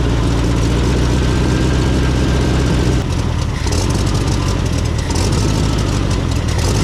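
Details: 1970s VW Beetle air-cooled engine, barn find running again after over 20 years: loud, deep idle with a slight wobble and a dip around three seconds, not quite settled; carburetor needs rebuilding.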